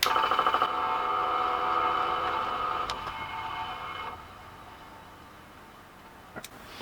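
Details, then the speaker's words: Suzuki GS500 motorcycle not started in years, carburetors reflowing fuel; rapid even ticking with a buzzing whine that slows and fades over seconds as the fuel pump builds pressure normally before cranking. "like the pumps go up to pressure let's see what happens"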